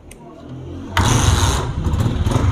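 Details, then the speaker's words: 2018 Honda CG125 motorcycle with weak pickup, started in the workshop: starter whirs, single catches into an uneven, coarse idle with a ragged, cracked exhaust note; engine running rough and lacks power under load, cause not yet stated. "दोस्तों motorcycle मैंने start किया है तो देख सकते हैं कि इसकी आवाज़ भी अच्छी नहीं है, बहुत फटी सी आवाज़ है।"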